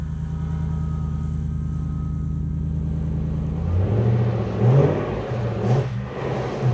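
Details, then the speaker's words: Lexus GS400 with 372,000 miles, after timing belt job and an oil additive treatment: smooth low engine hum with light revs, earlier internal engine noise now gone, no ticking or knocking; normal running. "The engine doesn't make any noise at all now. So, I'm telling you it wasn't from the timing system."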